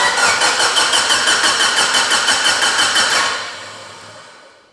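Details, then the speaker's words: Mitsubishi Evo 8 restoration first start attempt, speed-density base map, 30 psi fuel pressure, immobilizer disabled: rapid starter cranking about three beats a second for three seconds, never catches; crank no start, spark and codes to be checked. "I'm have to check for spark all right she should have fired by now let me scan codes"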